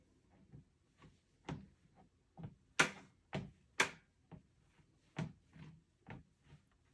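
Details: Two-week-old Lifespan TR1200B treadmill: irregular dull clunks and sharper knocks about once a second as weight shifts, like a soft spot in the deck; cause suspected, not confirmed.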